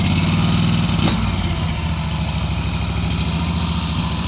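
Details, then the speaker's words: Lesco 48-inch commercial hydrostatic walk-behind mower, pull-started on choke with handles in neutral, blades off, brake on, then taken off choke: a small single engine chugs steady and even at idle, no knocks or misses; normal idle. "I'm going to start it, and I'm going to turn it off, but I'm also, as soon as you start it up, take it down off a choke, and then you can let it idle. It should be like a one pull scenario on most machines."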